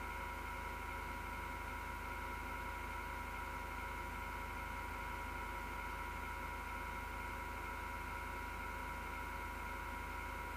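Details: Six-year-old PC power supply fan, grinding since December 2015: steady, rough whirring drone with a low hum and buzzy tones, vibration felt through the chassis.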